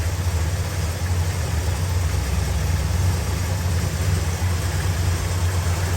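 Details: 1968 Dodge Super Bee 383 Magnum, just over 31k miles, one replaced muffler, Pertronix ignition, new wires and cap, doesn't smoke: deep, even V8 idle rumble, steady beat, no ticking, misses or lope. Normal idle.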